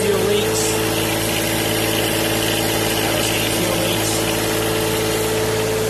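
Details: John Deere 1023E diesel tractor idling just after fuel water separator filter replacement and self-priming: even, steady idle with a constant hum, no stumbling or surging; engine runs cleanly.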